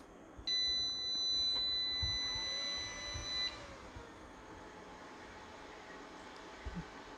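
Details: PS-3K-24V hybrid solar inverter, inverter section repaired, powered from 24 V with fan and scope connected: steady high beep for about three seconds at power-up, then a quiet hum; normal startup, drawing 0.98 A standby with no load.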